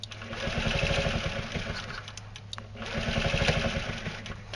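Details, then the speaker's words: Carbureted scooter with fuel line clamped before the fuel pump, hydroxy cell off: small engine sputters and surges, revs swelling and sagging about three times a second, struggling to stay lit; fuel starvation. "okay so you can see that it's definitely not not able to run right now"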